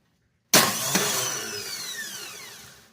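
One sharp clack, then a high whir spinning down over two seconds with no engine turning over; the starter is a suspect.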